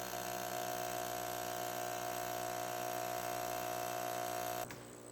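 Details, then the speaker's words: Aquarium air pump on glass table: loud steady electric buzz with fast rattle about four times a second, then cuts out. "oh listen to that just air you get a little vibration if you touch it right to the glass table but even then not bad at all that is a lot more bearable than what it was before"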